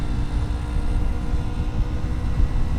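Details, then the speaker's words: Used 2020 Yamaha MT-03 while riding: steady low droning exhaust note with wind rush from a LeoVince slip-on muffler; slightly droney but normal. "the exhaust sound on this thing they have a Leo Vince Leo Vince however you to pronounce it slip on on it and it's a little weird it's a little droney"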